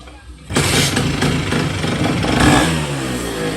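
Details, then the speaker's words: Vespa P200 first start of newly built Malossi MHR 221 on Malossi V1 cases, Pinasco long-stroke crank, Cosa 2 clutch, SIP Vape ignition, SIP Road 2 exhaust, Dellorto 24/24 carb bored to 26: raspy two-stroke revving with a sharp exhaust backfire pop; woodruff key possibly sheared. "Listen...That Did you hear it backfire?"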